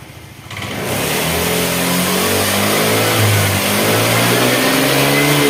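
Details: Honda Vario 110 carburetor scooter during the charging check with the headlight switched on: engine picks up and settles into a steady, even hum with a slight rise in speed; charging would not reach 14 V, and the battery is suspected.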